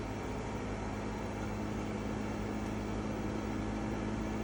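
A steady, loud droning hum with a rough, buzzing edge runs evenly throughout; the unit sounds abnormally noisy, cause not evident.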